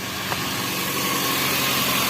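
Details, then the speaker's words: Toyota Avanza power steering pump, engine idling: quiet normally, but a steady low groan when the steering is held at full lock; fluid foaming, hardened seals leaking, dirty oil and clogged filter suspected. "menyala pompa power steering lihat aman tapi ketika serinya ditahan bunyi ayo oke hahaha Kalau udah ada bunyi bingung situ kita bisa lihat di dalam Yo si olinya berbuih"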